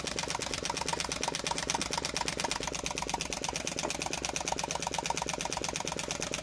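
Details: Flame Licker "Nick" model flame-eater engine, kit-built with taper-bored flywheels and quick-detachable bushings; crisp, even popping from the ball valve at almost three per second, speeding up, steady rhythm; running normally.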